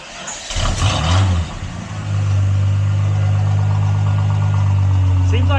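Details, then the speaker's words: 1973 Plymouth Scamp after replacing the muffler and tail pipe: engine catches after a brief rough start, then settles to steady, even low idle with deep, smooth exhaust note, slightly louder than before; healthy. "Seems like it's slightly louder, actually. Nice and reasonable. I like it."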